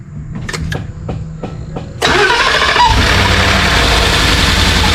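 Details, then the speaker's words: 2014 Ford F-150 5.0L V8 after starter replacement, throttle body cleaning and cooling hose work: five brisk, even cranking pulses, catches at two seconds and settles to steady idle; starter sounds good, no coolant leak, possible wet belt. "D fire right up sound like we got a wet belt down there that starter sounded good we got no water leaking that's a good thing"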